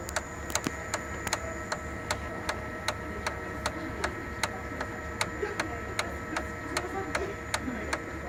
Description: Sharp MX6240N or MX7040N with loud ticking or knocking noise specifically during idle (not during a copy mode).